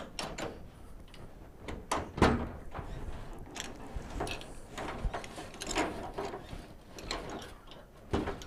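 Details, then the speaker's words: Suburban tailgate, partly stuck open for years and being rebuilt: irregular loose clunks and rattles as the latch is worked. Something seems to have fallen inside and the mechanism is very loose; cause not confirmed. "something sounds like it fell in there and this mechanism seems super super loose so that really sucks"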